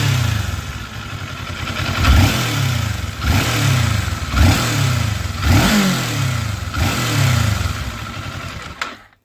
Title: Weird rattling noise especially at end